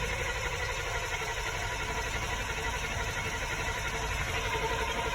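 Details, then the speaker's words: 1986 Chevy K10 Squarebody on a cold day, pedal pumped six or seven times: steady starter churn about three times a second, never catching; typically needs four or five tries to start. "nothing yet so we'll go ahead and pump it more pump pop pop pump so we'll go ahead and crank it again"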